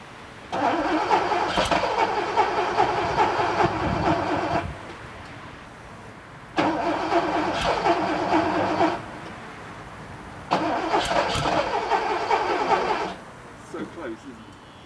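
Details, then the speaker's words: 1979 Porsche 928 V8 after about three months sitting: three cranking bursts of about four seconds each with pauses, engine never catches; hard start, took 10–12 key turns over 5–10 minutes. "I don't know how much I show you but it probably took me 10 minutes to get it started 5 10 minutes I probably turned the key 10 12 times you know cranked it nothing"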